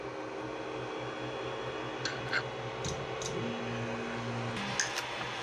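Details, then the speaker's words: Ender 5 Plus 3D printer after a Creality v2.2.1 silent board upgrade, other motors now silent: thin steady hum as the Z-axis moves; stepper whine, owner suspects the Z-axis lacks a silent driver. "can hear the Z but I don't think the z-axis has a silent driver on it"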